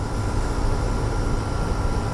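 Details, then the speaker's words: Curbside GE AEL05LQG1 5,050 BTU window air conditioner: a heavy, steady droning hum with a faint tonal edge, loud enough to hear upstairs with the window open. It draws 5.2 A and about 596 W; the condenser is plugged. "I could hear, this is so loud I could hear it upstairs in the kitchen with the window open. It's so loud."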